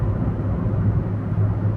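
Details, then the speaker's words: Test drive at full throttle after replacing a bad ignition coil that caused a P0300 misfire: deep, even engine drone with no stumbling or popping, pulling smoothly with full power, problem solved. "This is how the engine is supposed to work. And this is how much power it's supposed to have. Purr like a kitten as they would say."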